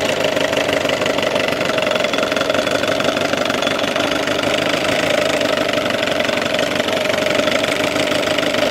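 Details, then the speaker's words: Old Evinrude 6 HP outboard (about 1978) in a test tank, warmed up, after a fix for hard starting and rough idle that made it die when idled down: fast, even two-stroke buzz, now idling smoothly and starting on one pull. "let's listen to it run here it's warmed up so this is nothing too too special but here you go"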